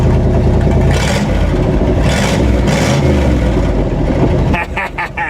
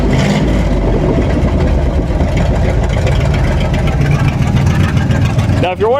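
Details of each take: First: 1958 Chevy Apache after cleaning and gapping the plugs: loud, throaty revs climbing and settling cleanly with an even beat and no misses; loud because a Cherry Bomb muffler section of the exhaust is missing. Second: 1958 Chevy Apache after plug clean and gap: very loud, deep, raw rumble booming when revved with no muffling, because the Cherry Bomb muffler joining the exhaust sections is missing.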